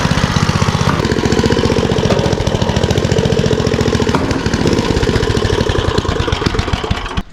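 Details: Troy-Bilt rear-tine tiller after repairing a rattle: steady, even single-cylinder chugging at constant speed with no rattle or knock; the tiller runs cleanly and the noise is gone.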